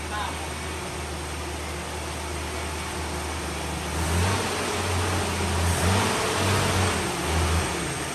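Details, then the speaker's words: 1971 Ford Maverick with a rebuilt 200 inline-6 (3.3L), stored since 1996, running off a fuel jug into the carb. A fast, steady idle, then a quick throttle blip and short rev, after which it settles lower. Choke releasing properly, fast idle dropping. "they didn't even blow any crap out the exhaust it's running off The Jug now for sure"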